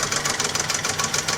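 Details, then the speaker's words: Classic Mk1 Ford Fiesta running on a makeshift cable-tie fan belt: fast light clacking, about fifteen ticks a second, in time with idle, from the heavy cable-tie end rubbing the water pump housing; the belt later jumps off. "You just hear the sort of clacking as the the heavy end of the cable tip. Uh, I don't know if it's rubbing on something or Oh, I think it's rubbing on the um water pump housing just there, actually."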